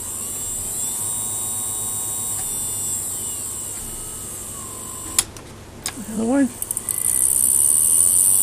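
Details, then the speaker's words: Kenpro KR-680DC antenna rotator motor, unserviced, run through new DS-7R PWM speed-controlled controller, flat out; steady electric whine with faint rough buzz, noisy in one direction only, quiet the other; owner suspects worn brush. "it sounds like brush noise so i might have a worn brush i'd like to check that out so one side's really quiet one direction i should say it's really quite one side it's noisy for some reason"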